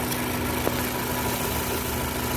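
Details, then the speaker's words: Ford Focus with dual-clutch transmission, 150,000 miles, lean condition and shudder: steady idle with constant airy hiss of vacuum drawn through a leaking purge valve, heard with its hose disconnected; confirmed as the issue. "Alright, you can probably hear that hissing. That's leaking purge valve. That's 100% the issue."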